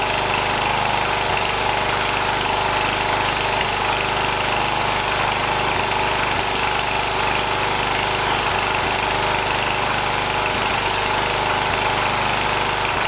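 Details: 1980 John Deere 212 lawn tractor's small single-cylinder engine, after replacing the leaking crank seal, on a cold day: it runs steady at fast idle with an even beat and no misses or odd noises, and no leak is seen.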